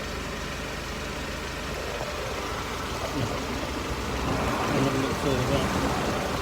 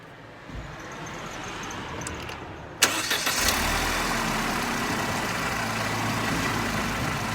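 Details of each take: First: Mercedes SLK R170 on stands, recorded under the car at steady idle. The old, rusty exhaust has a coarse, raspy rumble that grows slightly louder. The owner suspected a leak but found none at the silencer joint. A failed central exhaust mount was found. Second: Mercedes SLK R170 with the bonnet open, recorded at the front of the exhaust after the failed central mount was found. The engine starts after a short crank and settles into a smooth, even idle with no puffing or ticking. No exhaust leak is heard up front.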